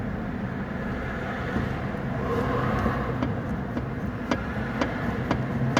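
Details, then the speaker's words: Mercedes CLS, front driver-side suspension, car jacked and resting on wood to unload the joints: sharp irregular knocks as the upper arm is rocked by hand, a worn upper ball joint; other joints show no movement. "so that's the knocking noise i was getting you can also check the others to see if there's any movement or noise and there isn't"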